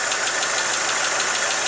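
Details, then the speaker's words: 1959 Chevrolet Apache 3100 pickup after new exhaust manifold gaskets: a fast, even exhaust pulse over a steady hiss with no ticking or puffing; some smoke, likely paint burning off; owner says its sewing-machine sound is always normal; oil maybe a little low; normal idle. "that's heavy you don't know that saffit sound just that's just normal it always sounds like something like sewing machine"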